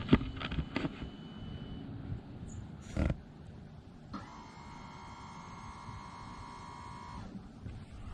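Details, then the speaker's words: Electric ABS pump actuated with an Xtool D5S scan tool, door open: after some clicks and handling, a quiet, steady electric hum for about three seconds, then stops; normal ABS pump operation. "hopefully you heard that pump that it's a very quiet pump but the pump is turning on"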